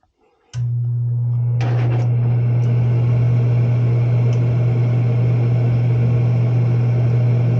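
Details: Propane warm-air horizontal commercial furnace in an attic, after fitting and adjusting a new universal igniter: a couple of sharp clicks as it lights, then steady even low burner and blower hum, no flutter or rumble; normal operation.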